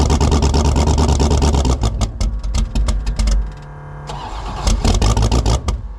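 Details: 1984 Fox Body Mustang drag car, roughly 350 hp V8, about 20 degrees out, no choke: long cranking catches into a loud, uneven, stumbling burble with ragged blips; hard cold start, 878 CFM carburetor way too big.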